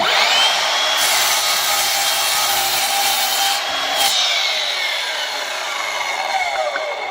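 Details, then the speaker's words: Aldi Workzone 20V cordless sliding mitre saw, laser and LED off, cutting 75x35 mm (3x1.5 in) timber held in its clamp: high motor whine with a steady rasp, pitch sagging only slightly. Normal clean, easy cut. "Nice cut. And that's 75 by 35. So 3 by 1.5. That does a quite easy job of it, actually."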